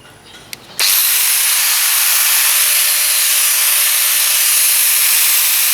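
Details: Bosch 4-inch angle grinder, test run after replacing its stripped bevel gear: after switch-on it settles into a steady high whir with an even faint tone, no grinding or knocking, so the gears run smoothly.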